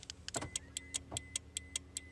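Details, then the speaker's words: Car hazard light relay under the dash, tested for DIY remote starter: sharp, evenly spaced ticks about five per second over a faint hum; clicks differ for lock, unlock and hazard button; normal relay clicking. "it clicks 3 times pretty fast. When I hit the unlock button, it clicks at a different pattern, and when I actually hit the hazard light button, you can hear it clicking at a different pattern."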